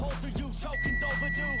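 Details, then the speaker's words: VW Polo GTI with a flat, sulfated battery, ignition on but not cranking: a steady high electronic beep for about a second over loud music. The handbrake warning chime is sounding, probably because the handbrake light is stuck on. "Oh, look, we've got a handbrake light beeping at us. Probably because that's stuck on."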